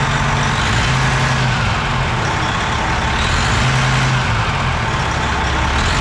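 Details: Semi-truck heavy diesel fired up after valve work, with rockers and stem buttons checked, everything torqued down, injector not removed and the valve cover left off; it settles into a steady, even, deep-droning idle with no stumble or miss, running normally.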